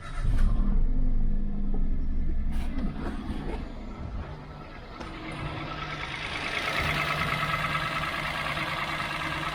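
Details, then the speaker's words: Small three-cylinder auction car with about 80,000 miles and low oil fires up and holds a steady, even idle with outdoor noise behind it; it sounds perfect, a healthy engine. "sounds perfect sounds like a good example of these little three cylinders coming along nicely there"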